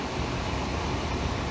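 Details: Legacy gas furnace draft inducer running after the screeching inducer motor issue: steady even airy whoosh, no squeal, rattle or bearing growl; normal quiet running.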